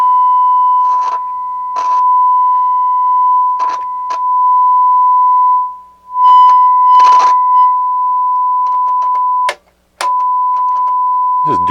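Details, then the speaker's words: Technics SU-Z1 integrated stereo amplifier, tested with a test tone on speakers before cleaning: steady tone breaks into scratchy crackles and brief dropouts as controls are worked; both channels work but every pot and switch is dirty. "yeah every pot is dirty every switch is dirty"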